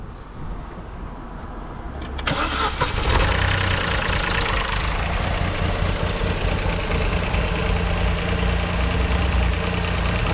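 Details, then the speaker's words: Vauxhall Corsa 1.0 Ecoflex three-cylinder petrol, first start after new valves, head gasket and timing chain, on a booster pack: starter whirr, quick catch, then a quiet even sewing-machine idle with no tapping or rattle; normal start and idle. "Sounds really nice. Like a little sewing machine. Quiet."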